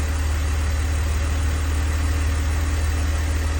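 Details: 2002 BMW 330Ci complete cold start after 24 hours, after rear subframe work; smooth even idle, extra noise from secondary air pump that then shuts off, no ticking; owner notes unexplained coolant loss.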